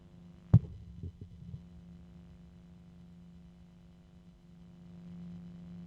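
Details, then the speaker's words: Noctua fan, compared against a LinkDepot fan; quiet, steady hum with faint higher whirr that never wavers, higher pitch than the LinkDepot, running smoothly and healthy. "so you can hear the noctua but you can also hear that it's got a higher pitch to it than the the link [Music] Depot well in any event that's what it sounds like"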